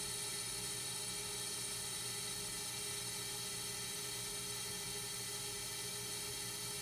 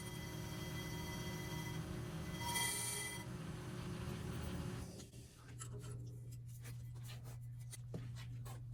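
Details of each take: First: Accu-Turn 8944 brake lathe resurfacing a rotor: even, steady high whir with no howl or chatter on a clean finishing pass, rotor ending about 27.3 mm, above minimum thickness. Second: Accu-Turn 8944 brake lathe resurfacing a rotor: steady piercing howl near 1 kHz over the motor hum toward the end of the cut, then drops away; chatter/howl can indicate a bad carbide tip.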